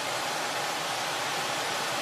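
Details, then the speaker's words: Trane furnace/AC unit after owner replaced parts himself, power restored with door switch held down: even, steady rush of air with no rattles, squeals or surging; blower motor running normally. "I hear it motors working fuck yeah I knew it fucking knew it"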